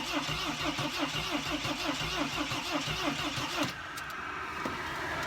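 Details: Mercedes Sprinter no-start diagnosis with the key still inserted: starter cranks steadily about once a second, then stops without catching; earlier it started then quit with smoke; owner suspects mass air flow sensor or leaky injector, unconfirmed.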